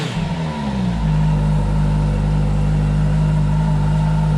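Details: 2011 Kawasaki ZG1400 police motorcycle rebuild, first start after key fob problem solved, in neutral: engine catches, blips up, settles within a second into a clean steady hum with no misses, rattles or leaks; healthy start.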